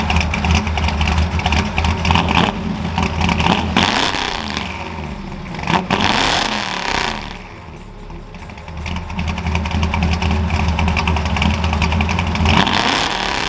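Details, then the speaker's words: Ford F100 carbureted V8 just after installing a McLeod aluminum lightweight flywheel and Super Street Pro clutch, exhaust back on; expected higher pitch from less rotating mass. Lumpy idle beat, revs up and drops back crisply; normal running and revving. "It should sound a little bit higher pitched because there's less rotating mass, less throat."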